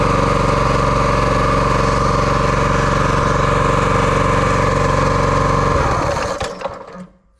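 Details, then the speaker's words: Brute 30-ton log splitter with Briggs & Stratton engine (about 5–6 hp), no-start with no spark: runs at a steady, even speed, then cuts out abruptly when the kill wire is wiggled; engine stall from a shorted, grounded kill switch wire. "So that did kill it, so we must have a short somewhere here in this wire."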